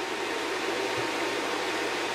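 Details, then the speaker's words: Packard Bell iMedia S3720 small tower PC at power-on: its small fan (roughly 80 mm or smaller) runs flat out with a loud, steady rushing-air noise that never changes pitch. The owner suspects a dead PSU, unconfirmed. "Okay. So, something's not happy inside. It sound It's very loud. And I'm surprised at how much air that little fan is shifting."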